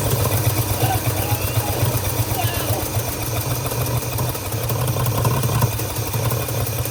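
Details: Long-abandoned 1948 Studebaker Champion flathead six at a low, lumpy idle with a skipped pulse every few turns: steady misfire, No. 6 later confirmed dead; owner suspects an intake valve, puffing from the carburetor.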